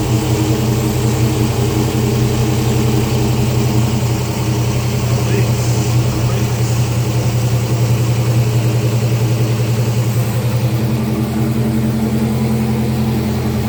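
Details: 2014 Dodge Charger R/T 5.7 Hemi, first start after 6.1 intake manifold install: V8 settles into steady, even idle with deep smooth burble, no misses, ticks or leak hiss; normal idle.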